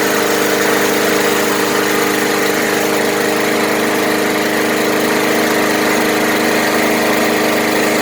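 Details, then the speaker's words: Murray 20" Select mower's Briggs & Stratton single running steady with no misses or surging, after cleaning, regapping the coil to 0.004 in, fresh fuel and HD-30 oil; sounds like new. "wow what a difference it sounds like it's brand-new"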